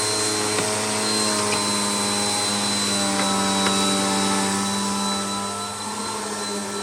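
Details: Bissell PowerLifter bypass-motor vacuum after a full service, tested on carpet at middle height setting: steady high whine, constant motor hum and even airflow rush; runs smoothly and healthy.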